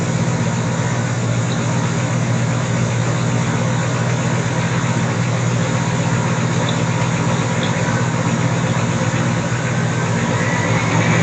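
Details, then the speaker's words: 1975 GMC Gentleman Jim C10 sat 18 years, first start, choke closed: deep steady V8 idle, even low rumble, no knocks or misses; runs well despite raspy, terrible-sounding exhaust. "than the terrible exhaust tone sounds pretty good"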